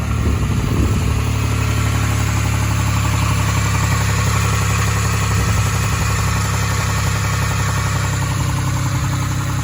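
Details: Nissan 350Z 3.5 VQDE engine at idle: dull, uneven knock deep in the bottom end under the exhaust drone, rod knock from a worn rod bearing.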